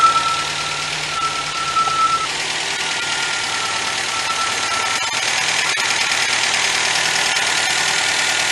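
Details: 1977 MGB after budget rebuild, coil fed 12 volts from fuse box, carburetor still needing attention, wiring faulty: steady idle with an even unhurried beat, no loud knocks; runs fairly smoothly.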